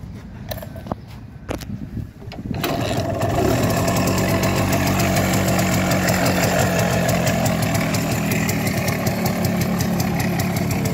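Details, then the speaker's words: Minsk Leader 3.113 two-stroke motorcycle with an Indian Pako carburettor (thought to be Mikuni or Keihin licensed) fires after handling noise and settles into a steady, even idle, running much like an MZ with a good sound. "Мотора работи долу-горе като МЗ, наистина изкарва добър звук."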